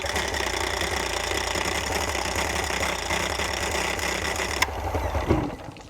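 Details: Dead outboard on muffs, before adjustment; ragged, uneven buzzing with missed beats, almost catching then dying after five seconds; rough running.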